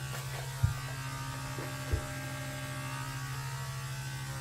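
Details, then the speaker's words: Steady low electrical buzz in a house wall, started during a shower, with a couple of faint knocks; source unknown, not the nearby light. "I'm taking a shower and this buzzing starts. The hell is this, dude? It's in this wall for sure."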